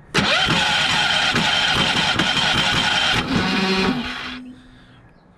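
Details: Champion 3400-watt inverter generator that won't run, cranked during diagnostics, expected to fire briefly: steady starter cranking at about four pulses a second with no catch, then drops off; cranks but will not start.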